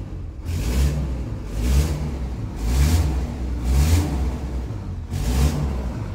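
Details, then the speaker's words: VW Crafter diesel idling, then revved gently; each rev brings a sharp hissing puff of exhaust gas from the corrugated EGR pipe, which cracked from vibration and was later welded with brass. "Короче, и вот он вот так стал делать."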